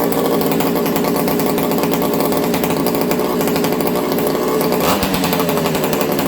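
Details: Ported XL 922 Super two-stroke chainsaw, warmed up: steady, fast, crisp exhaust crackle with even beat and strong compression; healthy and running happily, idle perhaps slightly high.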